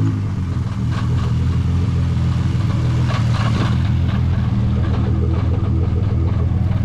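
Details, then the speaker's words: Nissan R35 GT-R on first drive after engine start and gearbox repair: irregular clattering under load, something rattling at the engine driveshaft. "da klappert irgendwas an der motorgelenkwelle"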